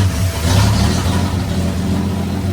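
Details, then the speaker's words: 1965 Plymouth Valiant that sat in the woods 33 years, run about two minutes after first start, no muffler, throttle still a little sticky: loud, unmuffled but steady, even running with no misfires; normal running. "Oh, yeah. She runs like a be too. I cleared up a bit. The throttle is a little sticky still, but Oh yeah."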